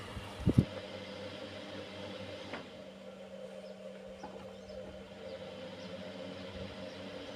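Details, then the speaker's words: 25W fan powered by a 12V 1000W MSW inverter on a small solar setup (20WP panel, 6A battery), run on speeds one and two: a soft, steady motor hum, not very droning. The fan is running normally. "Ini suara dari mesinnya seperti itu. Nah, coba saya putar ke nomor dua ya. Nah, ini nomor dua seperti ini. Menurut saya enggak begitu mendengung ya untuk kipasnya."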